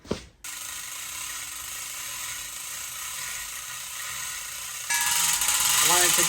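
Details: Coffing chain hoist after restoration, shop test lifting an old bell before a valuable job: steady mechanical clicking about three per second with light gear chatter under load; ratchet pawl working normally.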